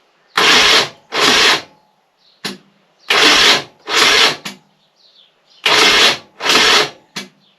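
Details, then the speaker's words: High-mileage BMW R1150 GS motorcycle, throttle bodies off, battery 12.7 V off charger: short weak whirring starter bursts in pairs, engine never catches, voltage then drops to 12.2 V; owner suspects a worn-out, near-flat battery. "this just doesn't see the clock set back to zero again which to me sounds like it's Zapped all the power um what we got on the battery now so the battery voltage now it's dropped half a volt 12.2 so that's nearly a flat battery"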